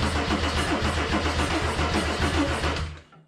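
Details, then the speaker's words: Mercedes 190E (W201) with swapped OM606 diesel, OM603 mechanical fuel pump fitted: first cranking test before the fuel is hooked up, starter spinning the engine steadily and freely at about three and a half turns a second with no catch; normal cranking. "all right well it's cranking um [Music] hopefully we've got some fuel in it nothing seems to blow up"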